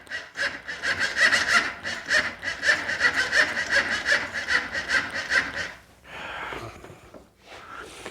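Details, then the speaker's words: Honda Foreman ATV with a no-start: starter reinstalled to rule out the solenoid, giving the same labored, uneven cranking, too slow to fire; owner now believes the starter is bad. "well guys I believe we have also got a bad selenoid not selenoid I'm sorry guys I think we have got a bad starter"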